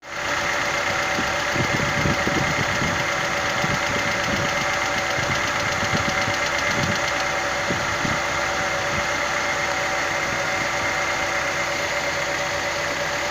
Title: Стук гидрокомпенсаторов.